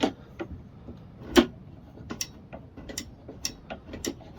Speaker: yeah you can hear about clicking engaging and disengaging so yep that's working